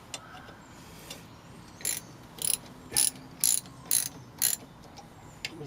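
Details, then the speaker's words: Brake drum with non-OEM shoes, about 12,500 miles since last serviced, turned slowly by hand: a scraping, ratchety rattle about twice a second. Owner hears a small lip inside the drum; loose worn shoes or debris suspected. "a bit of a rattle in there. It was rattling a little bit already, wasn't it?"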